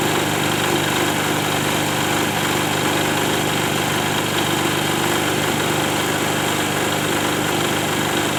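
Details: Diesel generator set (genset) running after an engine overhaul: even, steady drone with no knocks or misses and constant rpm; the engine sounds healthy.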